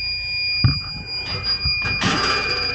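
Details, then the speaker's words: Freezer at 59 degrees, starving for refrigerant: steady high electronic shriek from the leak detector over handling noise, pinpointing a refrigerant leak where the liquid line chafed through on aluminum. "Picking up something. Getting a hit right here, right there."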